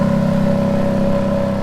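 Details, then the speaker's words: Ferrari F430 converted to manual and hard to get into gear: a steady, speed-dependent hum and drone over the engine in any gear with the clutch out, absent in neutral or clutch in; source not yet identified. "who that has a weird ass sound that's speed dependent"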